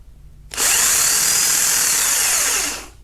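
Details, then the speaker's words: Starter removed from 2005 Mercedes CLK320 M112 V6 with no-start and no clicking, motor fed directly from battery on bench: high even whir then smooth wind-down; starter motor spins normally, solenoid yet to be tested. "okay so this assembly is working"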